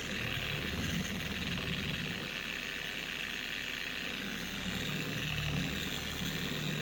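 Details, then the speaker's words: 4-year-old Carbon Collective DA (random orbital) polisher before its gear head was regreased: a loud hiss and rumble with an uneven wobble and a high scream rising with speed. It vibrates excessively and the pad walks across the panel; degraded gear head grease is suspected. "This thing absolutely screams. It's not going to say what the what the word I wanted to say was, but it screams at higher speeds."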